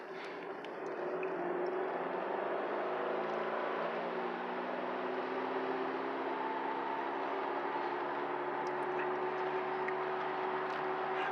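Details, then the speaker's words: 2005 Mercedes W211 E500 V8 wagon: steady whir from the front starting about 30 mph, rising with speed and drowning the engine; owner unsure if tires, bearings or differential; no clunks turning; whirring noise while driving. "okay so this is my 2005 P 500 wagon and I'm hearing a whirring sound coming from the front of the car I'm not sure if it's tires bearings differentials or what"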